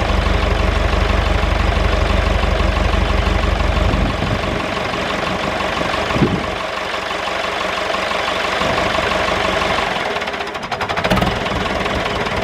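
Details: David Brown 996 diesel tractor, sitting about 10 years, first run after storage: steady, even idle with a regular low beat and no misses or knocks; normal idle.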